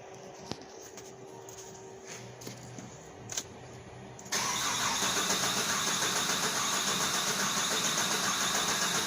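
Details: Extended crank with no start after the engine was reinstalled; it eventually started later with reduced engine power and a P127C fuel rail pressure code. Owner suspects a problem under the intake manifold. Steady, even starter churn for several seconds without catching.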